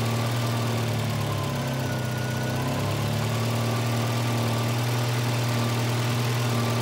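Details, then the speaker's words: 1985 Volvo 240, LH2.2 injection (B230F-family engine): with the idle air control motor's blue/white wire grounded, the motor works, but the engine holds a fast, steady idle that never drops; high idle from a faulty idle air control valve. "right now I've grounded the idle air control motor with that blue and white wire don't ground the red wire don't mess with that just the the blue one so it shows you that the motor is working but why am I getting a high idle"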